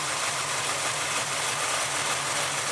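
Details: Small-block Chevy 350 V8 idling steadily and evenly after ignition timing was advanced to about 16° and idle speed readjusted down; no misses or knocks, a smooth normal idle.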